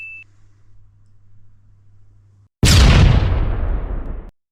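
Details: S&T M240B airsoft support gun after gearbox rebuild of a failed prior repair, on 11.1 V battery: sharp, even burst under two seconds, no stutter or grinding; gearbox cycles cleanly at high rate, normal full-auto firing.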